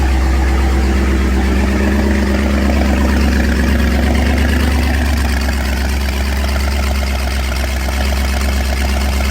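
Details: MerCruiser 305 small-block V8 from a 1983 Formula F20-SC, first start. A deep, steady burble with an even, lumpy pulse and no knocks or misses; it idles normally.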